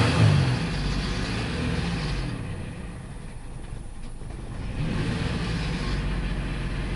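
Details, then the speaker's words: 2002 Ford Explorer that cranked but would not start, now running rough and smoking, injectors checked okay, running lean: revs with an uneven, stumbling beat and mid-rev sag; bad misfire, suspected fuel pressure/delivery problem. "this thing got a misfire a very bad misfire cooling engine Miss fire"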